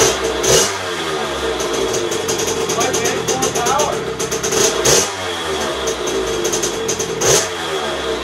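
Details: 2001 KTM 50SX two-stroke after carb upgrade, cold and not yet warmed up: sputters and burbles unevenly, blipping up and falling back without clean revs; running rich.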